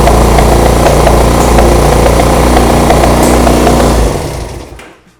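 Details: 1975 Honda CB200T after backing out carb screws: loud fast rough running with no throttle, then cutting out; idle far too high, owner suspects the air mixture screws, unconfirmed.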